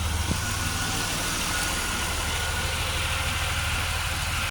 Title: 2004 Buick LeSabre misfire with no spark for Cylinder 1 & 4 (GM 3800)